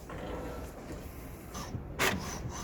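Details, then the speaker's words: HP OfficeJet 9010 multifunction printer with continuous ink system, reprinting after quiet mode was turned off: soft rubbing and feed noises with a couple of brief louder swishes, no grinding; technician says this level is normal printing noise. "이 정도는 괜찮죠? 예. 예. 이 정도는 다 원래 그런 소리예요."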